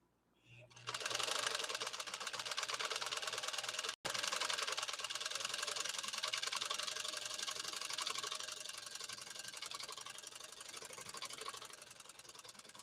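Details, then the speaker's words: PFAFF 130-6 sewing machine sewing decorative stitch 5-3-2 via its rear mechanical embroidery kit, music paused: fast, even ticking with a light whirr and no knocks or grinding. The machine runs sweetly. "I will pause the music and we'll listen to this wonderful German engineered machine do its magic."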